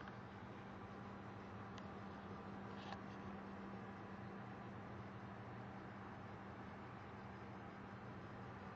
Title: Desktop buzzing noise